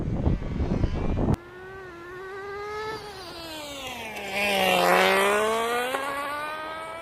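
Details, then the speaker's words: Tamiya Nissan R390 GT1 on TGX mk1 nitro chassis, old engine with a front leak, on track: clean high buzz rising and falling with throttle; running reasonably well. "As you can hear in the footage there, the car is running reasonably well. The engine is pretty old and it does have a leak in the front, so it's not running the best, but it's actually running pretty good."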